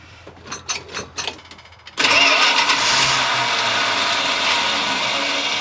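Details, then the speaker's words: Retired ambulance barn find, first start attempt with fuel poured down the carb throat, fluids checked except coolant: a few cranking bursts, then it catches and runs steadily with no misses; it runs and reverse engages, but the carb drips, gasket or stuck float suspected. "Well, that's exciting. She's a runner."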